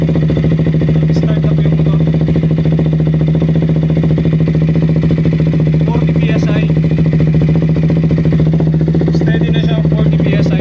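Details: 2016 KTM Duke 200 after replacing a faulty fuel pump hose (had no-start, power loss, stalling): steady, even single-cylinder idle with a constant low drone, no stumbles, surging or stalling; starts and runs cleanly.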